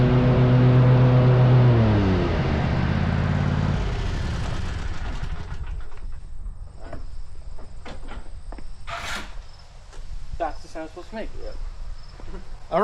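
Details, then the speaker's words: Rescued zero-turn mower started after repair, with the pulleys checked and the carrier pinned on. Steady, even engine drone dips in pitch and fades after a few seconds, leaving outdoor insects; sounds healthy. "So we're gonna start it up and give it the once for."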